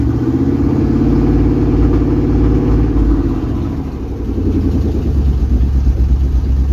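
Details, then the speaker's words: 1999 Chevy K1500 Suburban, 5.7 Vortec with bad rod bearings, sat 3 years, catalytic converter missing, nearly warm with about 30 psi oil pressure: V8 runs lumpy, revs swelling and sagging with occasional pops and bangs; misfire, cause unknown. "Sounds good. A little bit of bang poom pow there, but she's holding wind."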